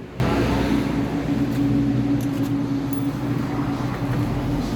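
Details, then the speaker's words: Yamaha Mio S40 scooter, freshly cleaned CVT (panggilid) noisy and whining: revs into steady droning hum with tonal whine from belt drive. "Kaya may chichikipin tayo dito, yung panggilid dito, maingay at parang na-irate guys."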